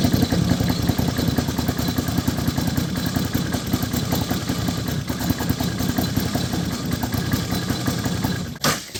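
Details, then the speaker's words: 2011 Can-Am Outlander 800 ATV with an uneven, stumbling, skipping idle; misfire recorded before repair. A weak fuel pump is suspected (fuel barely trickling), and plug wires are shot; the fuel pump, plug wires and air filter are being replaced. "it's like skipping like it's Clos that's not a cam"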